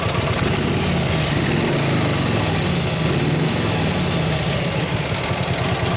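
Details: 1953 Harley-Davidson 74ci panhead, kick-started during tune-up after timing adjustment and carb adjusted 2-3 clicks, still warming up: loud, lumpy but even V-twin idle with steady rhythmic rumble, no misfires or popping; running properly.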